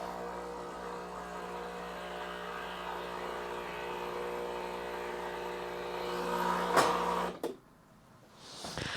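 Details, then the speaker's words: Breville 870XL espresso machine running a two-shot test: steady buzzing pump hum with a slightly uneven edge until shutoff; pump weak and slightly seized, piston moving oddly but still working, replacement recommended. "so definitely you can hear the pump is a little bit seized and the Piston is moving a little bit funny but it's still working"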